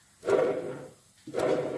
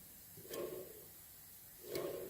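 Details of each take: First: Stiga (Canadiana) Park 2000 1980s mower tractor rebuild, bearing spun by hand: two short spins giving a gritty whirr that fades as it slows, worn bearing making noise. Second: you can hear that bearing it's making a little bit of noise here's reasonably quiet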